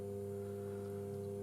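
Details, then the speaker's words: Bose Wave Radio AWR1-2W on the bench: a steady, low, rhythmless buzz/hum through the speakers at low volume while the radio otherwise works. Caused by leaked main-board capacitors; the fix is recapping the main and daughter boards. "if I whack the volume up higher you can hear the radio is actually working but if I minimize the volume you can just hear that buzz or hum"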